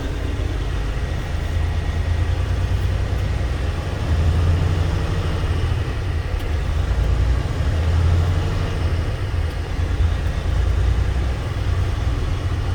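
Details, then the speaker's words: 2012 Volvo truck diesel after sitting 2 months, aired up: steady low rumble at idle, even beat, no knocks or misses; turbo actuator possibly repaired previously; smooth normal idle. "Runs smooth."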